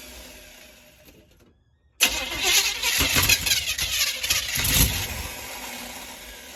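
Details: Small-block Chevy in a squarebody truck: after a quiet gap it cranks and fires, and a rough, uneven rattling knock comes through as it settles into a cold idle; knocking on cold start.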